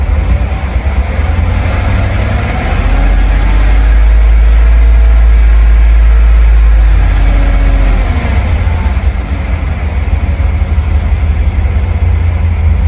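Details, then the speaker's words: 2015 Cadillac Escalade, GM 6.2 V8, 5,600 miles after replacing failed lifters (failed at 180k miles; cam with slight lobe wear kept, AFM not disabled), cold garage: deep, steady idle, even low rumble, no ticking or knocking; healthy, smooth-running engine. "So, this is a 5600 mile update. This is what she sounds like. Um, after a couple months of driving, doing well."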